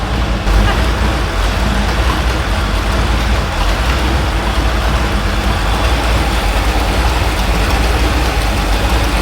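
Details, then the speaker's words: Small block Chevy V8 on an engine stand with added radiator and gas tank, shelf-pulled carburetor, at about 820 rpm: steady low idle with deep even rumble, no lope or miss, somewhat busy; normal idle. "Let's let it run for a little while longer. Just see how it acts. I'm surprised that carburetor is doing that good."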